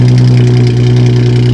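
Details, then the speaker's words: Aftermarket exhaust on a car with 121,000 miles, no exhaust pipe visible: deep, loud, booming idle with a strong low drone and no muffling, apparently missing its mufflers. "I think we're missing some some mufflers. Yeah. Wow."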